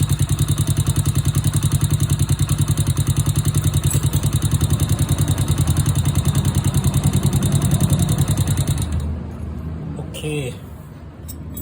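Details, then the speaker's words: Honda Wave/C70-type motorcycle engine after replacing the cylinder, piston, rings, cam chain, chain tensioner/guide and oil pump gear. A quick, even ticking, about three per second, over a steady thumping idle: valve noise from loose clearance, which is then adjusted. "ได้ยินแต๊กๆๆๆๆเป็นเสียงของวาล์วนะครับ"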